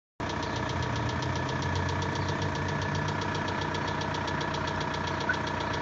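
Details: VW 1.9 TDI 66 kW diesel, cold: steady idle with a sharp, fast, regular metallic ticking over the diesel clatter, seemingly from the pulley side near the valve cover; knocking for two years, worse when colder, lifters and injectors replaced without effect.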